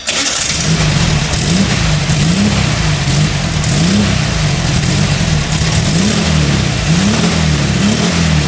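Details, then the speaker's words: 1989 VW Kombi Cabrita, air-cooled flat-four, with a newly fitted Puma exhaust after the gaskets were replaced to cure popping from an air leak at the cylinder-head joint. It starts and revs cleanly with a deep, even exhaust note and no popping. "Bom, esse é o ronco que ficou. É difícil explicar a diferença que eu senti no ronco."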